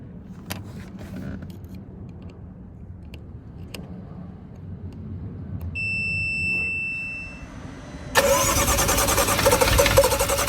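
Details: 2014 BMW M135i automatic: after a chime, the starter cranks the engine at an even, steady pulse for a few seconds, but it never catches. Crank, no start.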